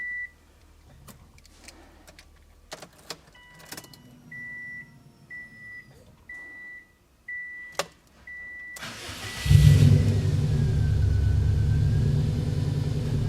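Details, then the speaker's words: Car with hot-start trouble, after changing the fuel pressure regulator: the door chime beeps, a short crank, and it catches at once into a steady idle, far better than before. Normal start. "Prime oh yeah that is so much better obviously that is the thousand times better"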